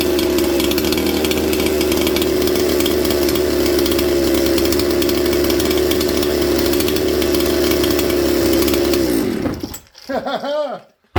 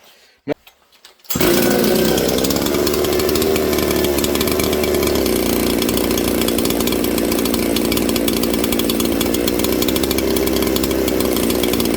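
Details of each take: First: Mystery 200-series junkyard '266' chainsaw, using a rigged wire throttle linkage: an even, steady two-stroke idle that holds without surging or dying, then shuts down cleanly. The saw is idling normally. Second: 200-series chainsaw from the junk pile, possibly running lean, holds a fast, busy idle that settles only slightly lower; idle set too high, owner plans to turn the idle screw down so the clutch won't engage; saw also needs bearings.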